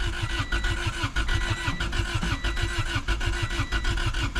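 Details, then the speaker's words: Honda Civic that sat about 10 years, with very varnished fuel and no fuel pump heard at key-on. Steady starter cranking with no firing; it turns over but won't start, and starter fluid or brake clean is to be sprayed into the intake. "all right so I'm going to I'm going spray some some brake clean in there starter fluid or something and see if it wants to hit at all so yeah it's not looking good"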